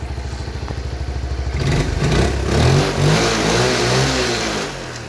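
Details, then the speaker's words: Honda Cub 78 70cc engine, steady even idle putter rising smoothly into a rev and easing back down with no ticking from the cam/rocker top end; normal idle and revving. "cục máy cực em nghe các bạn đầu cam cò không kêu"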